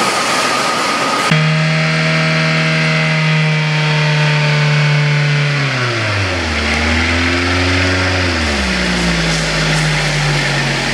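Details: Toyota Avanza after a half engine overhaul for overheating with coolant mixing into the oil, oil changed and flushed: clean engine tone holds steady, then dips and rises smoothly with throttle, no knocks or rattles; running healthy.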